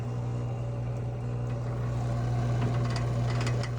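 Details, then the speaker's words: GE Hydro washer that wasn't spinning, after removing a snake suspected of causing a short; steady motor hum with light clicks as shifter engages before high-speed spin; normal transmission shift before spin. "Hear the machine shifting, getting ready to go in a high-speed spin. Shifter is working."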